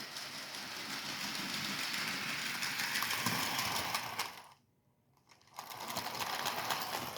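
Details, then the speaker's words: HO-scale 2-10-10-2 locomotive built from Rivarossi 0-8-0 chassis, first test run at full speed: light even ticking about four per second over a thin motor buzz; owner suspects a wheel bouncing from too much slop. "yeah that could be just a wheel bouncing up and down I think it is think I got too much slop"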